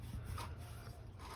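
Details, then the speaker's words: 1974 Ford F250 during teardown for cam swap, belt removed: water pump turned by hand gives dry rough rasping grind in slow strokes; worn pump bearing suspected, unconfirmed. "I know if you can hear that but sounds like it's grinding this should be the water pump right yeah so I bet you this is going on its way up -"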